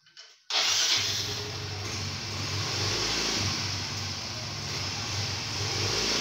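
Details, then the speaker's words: Automatic scooter after sanding clutch bell (mangkok ganda) and cleaning clutch shoes; pulls away with steady even drone and no shudder, take-off vibration gone, normal CVT take-off. "Oke baik teman-teman ya jadi unit ini sudah kita tes dan getaran pada saat putaran awalnya itu sudah hilang Alhamdulillah ya"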